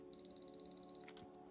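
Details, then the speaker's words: Canon AE-1 Program battery check with a new battery: eight fast high-pitched beeps then a click, the correct healthy sound. Finding: normal battery check beeping. "now you will hear how it should sound if you hear this on public transport run if you hear this on your Canon camera that's fine"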